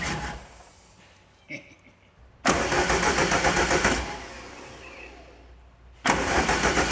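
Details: Rallygolf (VW) on first start after a 3-month rebuild with a new programmable ignition: engine catches in short bursts with an uneven, lumpy beat that drops away between runs; misfire, open circuit and 0 volts on injector 4.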